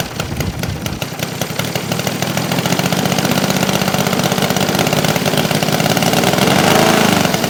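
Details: New Saito FG-60R3 3-cylinder radial in a Legend Hobby T-28 Trojan RC plane, first ground run, break-in run super rich for lubrication: fast burbling slightly uneven beat climbing in loudness and speed; healthy.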